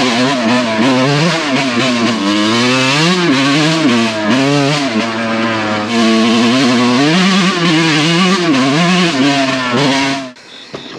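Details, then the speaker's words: 2001 Suzuki RM125 two-stroke after repacking the slip-on exhaust, recorded under a carport with echo. Crisp ringing crackle as revs rise and fall, no hollow tin-can sound as before packing; now tries to idle, which it didn't before. "man that sounds a lot better sounds ten times better he's trying to idle too now"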